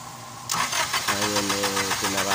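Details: Honda Accord cranks steadily in quick pulses but won't start; high-tension plug leads are oil-soaked and cracked, letting spark escape; cables and plugs need replacing.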